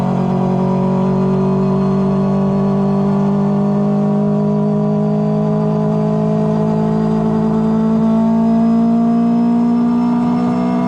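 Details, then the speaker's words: Four-rotor rotary on early no-boost tuning, revving toward 7,000 RPM: a rising drone with slight unevenness as it stumbles under light load; the tuner says it was going super rich, as when the car thinks the pedal is pressed. "Stumble was it going super rich, which happens when the car thinks the pedal's being pressed."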